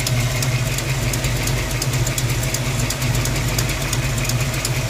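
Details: 1982 Ford Mustang GT V8 with old short-tube headers and H-pipe, idling, recorded under the car and in the engine bay: rumble with sharp ticks about three per second from a driver-side header leak at cylinder 8.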